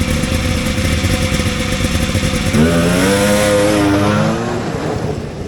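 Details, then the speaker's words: Vintage Polaris XLT triple two-stroke snowmobile, back after a summer in a trailer: uneven idle, then revs climb but falter and sag before dropping back; bog under acceleration, a known XLT trait, not yet fixed. "all right so the grape Apes got a bog that'll happen that'll happen to a lot of different sleds"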